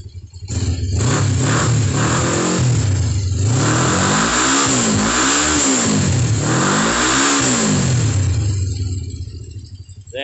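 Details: Kawasaki GPZ500S (Ninja) 498cc twin, freshly serviced and fully reassembled after Cat N rebuild: clean blips rising and falling smoothly through the revs, even twin beat and crisp return to idle; healthy engine revving.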